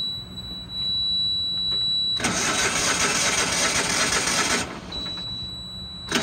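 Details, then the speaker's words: Used Dixie Chopper XG2503 mower, Generac gas engine, started once seated on the seat sensor: fires and settles into a steady, clean, even idle with airy rush; normal idle after start. "i gotta sit down on it so once i sat on it it has a sensor on the seat started right up"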